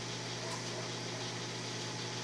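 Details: Microwave oven after repair being tested: a steady, even low mains hum under a smooth fan rush, with no crackle or arcing, as it heats normally.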